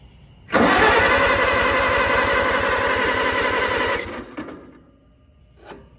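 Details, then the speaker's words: 1964 Farmall 140 tractor, sat 7-8 years, in neutral at about half throttle: rapid even cranking about three seconds, brief catch, then coasts to silence; out of gas, otherwise sounded good. "Now, fortunately, I don't have any gas here. I've got my can, it's empty. So I'm gonna run and go get some gas. Sounds like she's ready to run, and sounded really good the split second it started."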